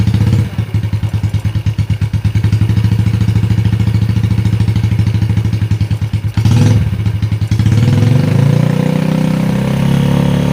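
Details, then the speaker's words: Yamaha Jupiter Z after fitting cylinder block and head, first start; even low idle then smooth rise in pitch when revved, no knocks or ticks, smooth right away, oil reaching the head, normal running. "Langsung halus suaranya."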